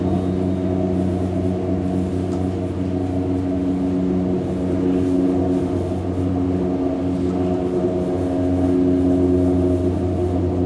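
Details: Hamburg U-Bahn DT5 unit 343-1 with worn traction motors: a heavy, steady low drone with layered hum tones while the train slows under power reduction, a loud traction motor hum; whistling follows later.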